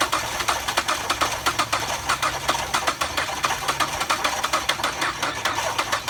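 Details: 2006 Ford Fusion bought at auction without key, non-starting, starter jumped directly via wire on starter bolt; steady, quick cranking with even ticking about five per second, no catch; engine spins freely, normal cranking.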